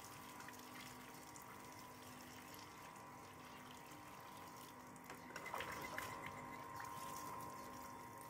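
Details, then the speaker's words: Sanyo water pump after repair (was humming, noisy, slow or needing hand start): impeller/suction fan fixed, tested with water, soft even motor hum under gurgling flow, no scraping or rubbing; pump runs freely and normally. "Kemudian kita coba hidupkan. Suaranya sudah normal, tidak ada bunyi gesekan. Itu tandanya kalian sudah berhasil memperbaiki kipas penyedotnya."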